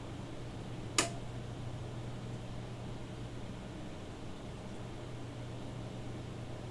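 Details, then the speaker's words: CRT monitor after a Windows kernel load failure shut the PC down: a single sharp click over a steady low mains hum. "If you listen closely you can hear the CRT... crackling."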